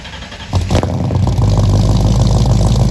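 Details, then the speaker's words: 1964 Mercury Comet, freshly built with FloTek 180cc aluminum heads, Trick Flow Stage 1 cam, Victor Jr. intake and 1-5/8" headers, first start: catches after short crank into lumpy, stumbling idle with some smoke; owner suspects fouled plugs and too-rich idle from mismatched carb springs. "for the first time and it didn't go perfectly didn't go terribly it didn't go perfectly I think there was a couple things going on uh that contributed to that and basically where it's at right now is I'm pretty sure the plugs are fouled um I'm seeing a little bit of smoke"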